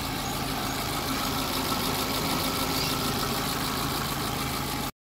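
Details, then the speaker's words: Hyundai Getz after general overhaul with sprocket secured and no longer loose: steady, even idle with no knocks, misses or ticking; smooth healthy running. "So ayun guys ah okay na yung ano na natin hyundai gats na general overhaul"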